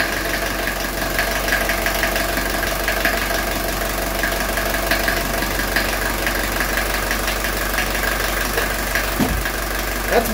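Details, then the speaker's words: 1982 Mercedes 240D diesel after valve adjustment, throttle linkage shortened to raise idle a couple hundred rpm: steady even diesel clatter at settled idle with no stumbles or surges, no vibration on engine; normal idle. "better isn't it is nice so look how smooth that's idling you guys see there's no not even a vibration on the engine"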